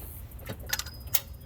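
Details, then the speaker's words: 2011 Honda Accord 2.4 VTEC 5-speed, no-start complaint: sharp single clicks, four in under two seconds, with no cranking; starter or its solenoid suspected, voltage drop test pending to confirm. "the complaint is they try to start it and there's a click we'll go ahead and do that for you"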